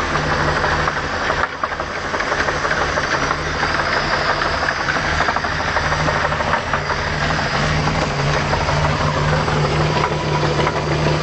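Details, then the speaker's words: OMC Cobra 4.3 V6 marine engine in a Sunbird 208, warming up at idle, makes a faint, somewhat uneven knock about three per second; temperature gauge apparently not working; owner plans to cut open the oil filter to inspect. "Well, that's the knock she's making."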